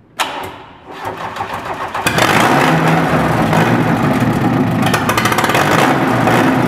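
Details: First start after rebuild with new bearings, nitrided crankshaft, new camshaft and head repairs: starter whirs briefly, engine catches at two seconds and settles into a firm, steady run with light revving; normal start and rev.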